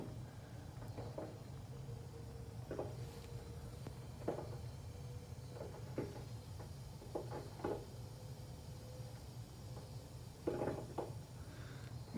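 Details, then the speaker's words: Rheem Stellar 330 hot water system, about seven years old, kettling: a low steady rumble with irregular pops and crackles as it heats, meaning it is due a major service. "it's like a sort of rumbling popping noise in the industry we call Catalan so what that means is the hot water system whose do a major service"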